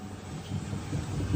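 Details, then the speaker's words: Ex-demo Sunmix spiral dough mixer in manual mode at 50 rpm with an empty bowl, after standing a while: dull heavy thumps through the bowl over a low rumble from a flat-spotted rubber bowl roller; fixed by warming the roller with a heat gun. "Now, it's a bit of a clunking noise there. I know what that is. Sometimes if these machines have been stood for a while, those rubber bowl rollers get a flat on them."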